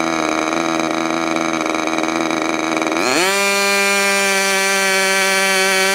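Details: Freshly overhauled modified K&B .61 glow engine from CF Lee, test run after idle screw setting and restart: uneven buzz, then pitch climbs sharply into a clean, steady high-revving scream; runs smoothly.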